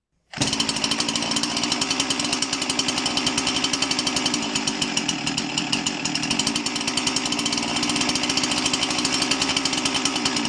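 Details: Husqvarna 346XP chainsaw that wasn't running right: screams at a high, even rev with no throttle dip, a lean overspeeding run from an air leak at the cylinder base gasket, leaking because the cylinder screws came loose; gasket to be replaced.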